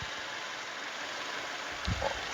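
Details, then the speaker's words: 2014 Toyota Innova G 2.0 petrol manual: starts on the first try and idles with a quiet, even hum, no tapping or rattles; the engine is dry with no leaks, a healthy idle. "Dengan suaranya. Wow, maknyus. Satu kali aja startnya langsung hidup, langsung nyala."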